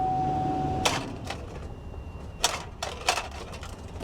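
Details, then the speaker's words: Chevy Avalanche, believed 5.3 V8, dead battery, jump pack connected: a few sharp uneven starter clicks with no cranking; jump pack fully charged, owner suspects a poor ground connection; starter clicking from low battery. "That doesn't sound good. My jump pack is fully charged, so I know that's not a problem."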